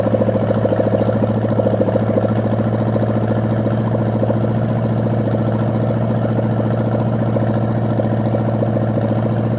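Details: Rebuilt 1973 Chevy 350 V8 with a replaced piston and rod, big cam and fuelie heads, first run-in warming to operating temperature with no fan fitted: steady, slightly lumpy idle, even low pulse about three beats a second, no knocks or ticks.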